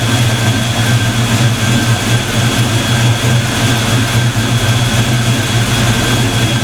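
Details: Black Stang (Mustang) first fire with 24 lb injectors and 73 mm mass air meter; after shimming rockers, deep even idle rumble with steady beat, no ticking or stumbling: smooth idle.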